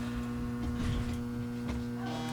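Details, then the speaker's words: Massive, almost 90-pound isolation transformer feeding a dim bulb tester setup, rated up to 48 A at 120 V: steady low mains hum with a constant buzzing tone. Normal transformer buzz under power. "So it's a great big transformer. It does buzz, you can hear it."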